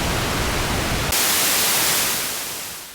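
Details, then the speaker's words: 1974 Minimoog after restoration, repaired noise source with clean volume control: steady even hiss that brightens and holds cleanly before cutting off, no crackle or dropouts; noise source working normally. "I also I fixed the noise source so here's your noise source"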